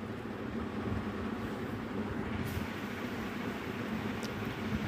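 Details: 2012 Mercedes E63 that cranked but wouldn't start with low fuel: after adding fuel it starts, with an even low rumble, steady rhythm, no stumble or miss; running smoothly.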